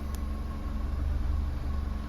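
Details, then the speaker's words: 2012 Holden Barina Ecotec 1.4L after intake VVT solenoid replacement and code clearing: steady low idle, RPM hunted slightly on startup, zero misfire counts on all four cylinders. "as you saw it hunted a little bit on the RPM on Startup but there was no misfire at all"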